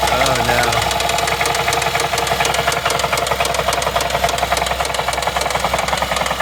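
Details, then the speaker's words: 2011 Chevy Traverse 3.6L V6, towed in after stalling on highway, hard start on jump box, codes P0011 P000D P0024: loud fast metallic tapping three to four per second over idle; failed, stretched timing chains slapping. "I think that's an engine noise. Yeah, it's not good."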